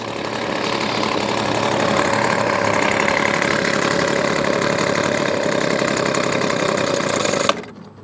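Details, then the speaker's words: Weedeater Featherlight SST25 25cc two-stroke trimmer after carb kit rebuild: fast busy idle with steady whir of the spinning head, then cuts off; idle set too high, engaging the clutch, unsafe. "Let's dial in the idle and see if we can adjust the low, because look, that's still spinning. Not really safe."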